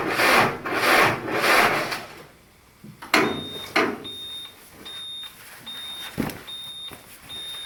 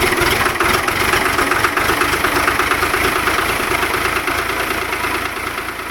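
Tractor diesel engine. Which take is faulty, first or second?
first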